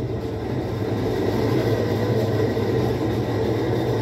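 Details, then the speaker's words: Whirlpool 17 kg washer that fills then stops washing, running in automatic test mode: a steady low hum with a faint tone and no knocking or grinding while the drum spins. Normal spin cycle. "hay que hacer las dos pruebas primero en la prueba automática y después ahí está exprimiendo de nuevo"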